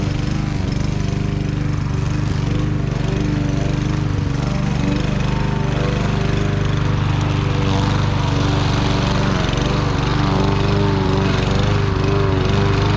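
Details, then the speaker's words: Fairly new Troy-Bilt mower with low compression, after carburetor cleaning and fuel tank draining: steady, even single-cylinder drone mowing thick grass without stumbling or surging; runs smoothly and holds speed. "well that's a wrap we got it running and it's running a lot better than I thought it would going through that thick grass"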